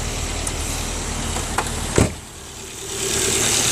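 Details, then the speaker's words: 2004 Volvo S40 after replacing ignition coil that caused shaking: engine settles to an even idle with no stumble or shake, brief handling knocks; sounds healthy, previous horrible noise gone. "it sounds great. Before it was making this really horrible noise, and now it just sounds wonderful."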